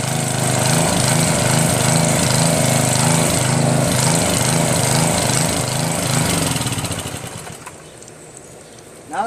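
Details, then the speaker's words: Northern Hydraulics pressure washer, Briggs 3.5 HP single-cylinder, sat 8 years, started with starter fluid (no primer): fires steadily at even beat then winds down, no misfire or knock; normal running. "working their mic starts up great I think when you want to start it up in the beginning since there's no primer that kind of starts up good"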